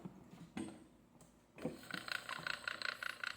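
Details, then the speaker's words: Electric fan motor running, rhythmic squeaky chirping about three a second; stiff shaft previously oiled, fault suspected in the shafting rod or worn bushing, later fixed by replacing shaft, bushing and stator. "Ayan umikot na yung shafting Rod tapos meron tayong maririnig na tumutunog ibig sabihin may problema ito sa shafting Rod o ' kaya sa bushing"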